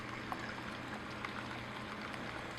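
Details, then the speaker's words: Vermicompost worm-juice tote aerated by a 500 gallon-per-hour submersible pump with venturi drawing in air through a transparent tube: steady bubbling gurgle over a low even pump hum, constant air intake; pump and venturi running normally. "so the pump is picking up quite a bit of air from the venturi and it's just aerating everything much better than that an airstone because it doesn't get jams"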